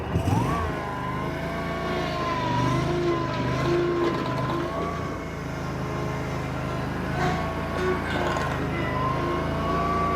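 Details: Bobcat Predator Pro zero-turn, Generac engine, brought in for losing power in tall grass; wide-open throttle, full forward drive load on the driveway: steady drone bogs a split second, then governor pulls it back up; normal.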